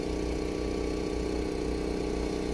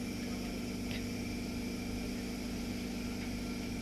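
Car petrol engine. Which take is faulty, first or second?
second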